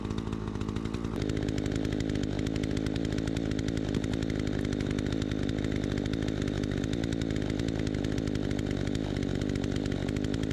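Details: Troy-Bilt 20" two-stroke chainsaw after carburetor adjustment, cutting wood: a steady high-revving buzz stays even and strong through the cut with no stumbling or surging; it cuts better than ever since new.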